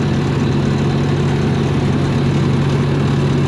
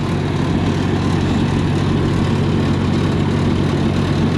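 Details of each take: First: 292 Chevy inline six gasoline engine on a 703 UniSystem power unit, after timing fix: straight pipe exhaust with no muffler gives a loud, deep, even idle drone, raw unmuffled firing, no misses; healthy. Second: 292 Chevy gasoline engine on a 703 UniSystem power unit: steady, heavy low thumping exhaust at fast idle, louder than it should be; owner suspects ignition timing slightly off, fuel still burning at exhaust.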